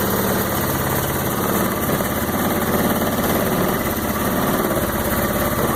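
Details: Roketa MC-75-150K Chinese 150cc motor scooter, new battery: steady low putter with even firing, no knocks or misses; single-cylinder idling smoothly and healthy.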